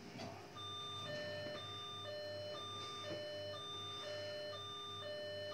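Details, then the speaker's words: Old Fox computer system found in a cupboard, giving no display at power-up: repeating two-tone warbling beeps from the board speaker, high and low alternating about twice a second like an air-raid siren. Fault alarm at power-up, cause unknown. "see whether or not we can hazard a guess as to why it's sounding an air raid siren when you try and turn it on"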